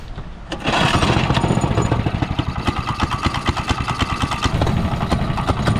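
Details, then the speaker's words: $100 minibike after cleaning the gas tank, refitting the strainer and adding fresh gas: catches after brief crank, quick even popping beat settling into a steady clean run. "Well, like that, it runs. I'm actually pretty happy with that for $100."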